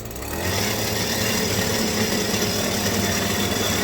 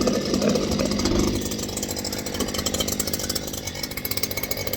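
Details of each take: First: Stihl two-stroke hedge trimmer, sluggish, rattle heard, held at full throttle: it drones flat and rough, never reaching a clean scream. Bogging. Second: Stihl hedge trimmer, previously sluggish, after quick repair: high buzzing two-stroke note with quick steady firing rhythm, revving and settling evenly; running properly.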